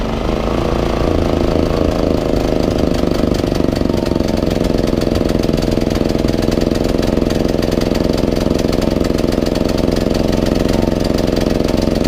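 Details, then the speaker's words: 3700 W portable generator (Bali), unused over a year with carburetor buildup, hard to start: uneven, wandering beat that hesitates, surges and sags in eco mode instead of holding steady; clogged carburetor, later cleaned. "so if you can hear wanted a hesitate they want to rev up the RPMs right"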